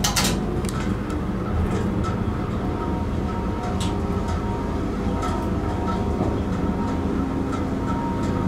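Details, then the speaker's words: Dover Impulse hydraulic elevator pump motor installed 1986, upward run: loud, steady low hum of fixed pitch with no knocks or grinding; running normally. "i love that motor installed in 1986"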